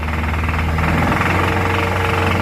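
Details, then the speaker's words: 2013 Toyota Innova 2.7L VVTi petrol; quiet at idle, knocking starts above about 2000 rpm, loud between 2000 and 3000, gone off throttle; rough rapid knocking rising with revs; suspected connecting rod knock. "दो से तीन के बीच में बहुत ज्यादा sound है यह देखो अब चली गई एक्सीलरेटर छोड़ते ही साउंड गायब तो यह जो साउंड है इस तरह की साउंड है वह सिमिलर होती है क्रैंक के कनेक्टिंग रोड के"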